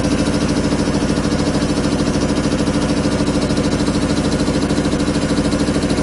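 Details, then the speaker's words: 25 hp single-phase air compressor, loaded with a valve open bleeding the 120-gallon tank from 150 toward 100 psi: fast, even pumping about three beats a second, steady mid hum, no knocks; normal loaded running. "now if you notice the air dropping I've got that valve open and I'll tell you it's bleeding out a lot of air you don't create 120 gallon tank from 150 down to 100 like that without blowing out here you"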